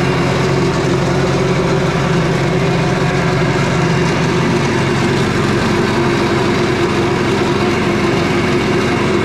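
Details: Petrol four-stroke engine of a job-site wet saw/generator, just serviced with a new 5/8 four-stroke spark plug, gives a steady, even hum with constant pitch and no misses or knocks; running normally, though a little smoky afterward, possibly from too much oil.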